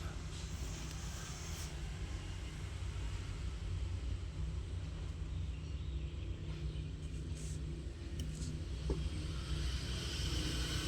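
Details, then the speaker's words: Petrol engine with check engine light idling roughly with strong vibration and uneven lumpy rumble; scanner shows misfire on cylinder four, coil and spark plug to be checked. "Ayan ah may ilaw pa rin na check engine. So kailangan nating salangan ng scanner kung ano ang lalabas tsaka masyadong malakas yung vibration ng makina. Malakas yung nginig."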